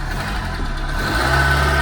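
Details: Ford Mk5 Cortina 1.6 GL Pinto engine, after fitting an Accuspark distributor, first start after a year stored: catches within a second and settles to a steady, even idle with no stumble or misfire.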